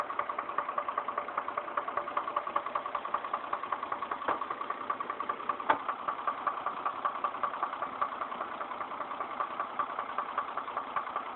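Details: Chevrolet Trailblazer at about 110,000 miles with trouble code P0014: idling petrol engine with a steady, regular knock of about two to three per second; the knock was later resolved.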